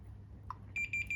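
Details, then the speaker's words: 3,000 W pure sine wave inverter that only beeps at power-on, fed 24 V at about 2 A: a steady multimeter continuity beep across pins 2 and 3 reading 0-1 ohm, showing a shorted output power transistor. "0โอห์0โอห์นะมีเตอร์ผมลงแค่1โอห์นะช็อตครับอันนี้ช็อตนะ"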